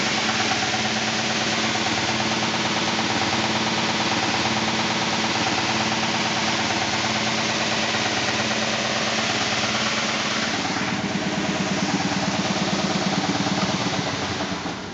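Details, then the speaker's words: 2000 SCMI Sandya 3 37-inch wide belt sander, one owner with low use, running after soft start, then winding down with the brake. An even steady roar with a faint thump each belt turn comes from the high taped seam in the sanding paper, not the machine. "So as it goes around, you can hear it go, but it's actually just the seam in the paper. It is not the sander itself, so that is going to be this seam right here."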